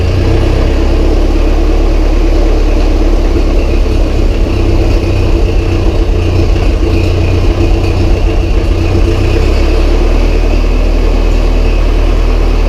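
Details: Massey Ferguson 135 tractor diesel, first start after oil change, filter and valve adjustment, high-low in neutral: steady even clatter with deep low throb, no misses or knocks. Normal idle.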